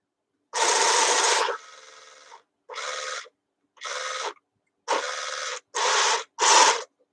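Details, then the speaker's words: Robot dog toy ("Canine") switched on during servicing: short harsh high-pitched rasping bursts starting and stopping; the loud noise comes from the gearbox in its head that moves the antennas. "The big louder noise is coming from his head, and it's the gearbox for what's it called? His antennas."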